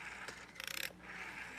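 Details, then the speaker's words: Red AWA PMG 802 rotary telephone: dial winds up with a rasp, then returns in a quick run of about ten ticks under a thin squeak; dial mechanism needs cleaning. "But the dial, it's going to need some work. It's a little, you can hear it's kind of squeaky. It's going to need some cleaning."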